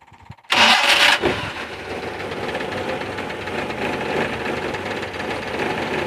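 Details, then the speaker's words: 1994 Suzuki Carry 1.0 pickup, cold start: brief starter whirr, engine catches cleanly into an even, slightly busy cold idle with a little throttle, some vibration from being cold; engine smooth, no piston ring noise; normal cold start. "mesin sudah dinyalain agak saya kasih sedikit karena ini masih dingin jadi getar gitu ya cuman kalau dari mesin dia halus aman"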